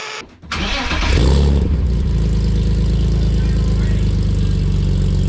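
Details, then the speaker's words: BMW E46 with M52 engine, new headers plus a used X3 resonator added to a muffler-delete exhaust: engine fires quickly and settles into a deep, steady, even note with no rasp or drone; sounds much better than before the resonator. "all right so I'm not even out of the neighborhood yet and it already sends a million times better"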